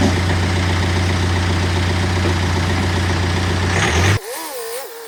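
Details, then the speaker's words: BMW 120d diesel after clutch change, dual-mass flywheel replaced by a solid flywheel: steady clatter with a faint low rattle underneath, then shuts off cleanly; normal running, the extra noise from the solid flywheel. "The extra noise you might hear, that is because we have changed it to a solid shaft over the dual mass that I was in"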